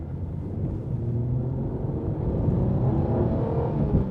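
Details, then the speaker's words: Alfa Romeo late-80s sports car on 16-inch wheels driven on the road: smooth, even, "creamy" low V6 rumble with steady road and wind noise, no knocks or misses; normal engine running while driving. "I don't really care when the engines this this creamy because it is such a creamy"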